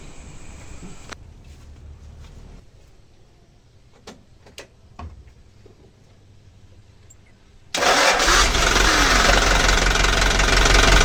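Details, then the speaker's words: Hino Dutro / Dyna 130HT diesel truck that would not start or shut off, after cleaning and drying the fuel solenoid connector and restoring voltage to the solenoid: quiet, then catches at once into a strong steady run, no misses; now starts and stops by key. "alhamdulillah sudah bisa hidup mesinnya"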